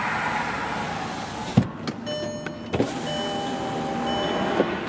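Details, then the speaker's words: 2004 VW Jetta, 2.0L 4-cylinder, 175,772 miles, passenger-side power window run up and down: the motor hums smoothly with clean clicks at the ends. The window works normally. "Alright, and the other thing is, of course, the power windows. And all the way up and down, no problem."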